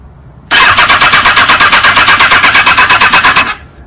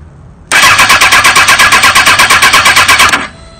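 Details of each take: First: 2005 Kawasaki ZX6R 636cc fuel-injected engine in a wrecked bike, in neutral, oil half-full, fuel low: about three seconds of fast cranking, roughly seven pulses a second, never fires; no fuel pump heard, connection suspected. Crank no start. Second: Fuel-injected 2005 Kawasaki ZX-6R 636cc engine, first start for a buggy swap with oil half full, after reseating the fuel pump connection: brief cranking, then it catches and settles into a steady, even beat with no odd noises; normal start.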